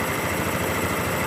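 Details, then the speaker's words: 2013 Honda Beat FI scooter that had lost ignition, now fitted with a swapped-in ECU from another bike: starts immediately and idles with a steady, even single-cylinder putter. This confirms the original ECU is faulty. "nah dan kalian bisa lihat dan dengarkan Ini motor langsung hidup berarti penyakitnya ada di bagian sini nih"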